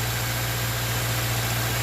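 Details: 2013 Subaru Outback 2.5L just after serpentine belt replacement: steady, even petrol idle with a low hum and no belt squeal or chirp, though there is some exhaust leak.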